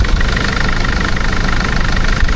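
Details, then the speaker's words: Loud, heavy idle with a rhythmic puffing chuff under the low rumble, described as a chuffing injector; diesel idle chuffing. "We'll have to listen to Dean's chuffing injector."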